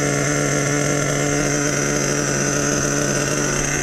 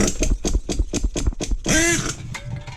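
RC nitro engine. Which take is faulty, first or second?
second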